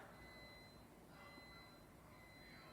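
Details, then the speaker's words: Battery backup power strip after a low-battery test, power cut and battery run dead: three long high-pitched beeps of the low-battery alarm. "i basically did a low battery test as you can hear it beeping the battery is now dead"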